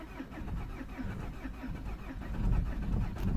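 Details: 2003 Peugeot 307 2.0 HDi non-runner with lost transponder: slow, even cranking at about two turns a second for several seconds without catching, just before starting once a new transponder was programmed; long crank.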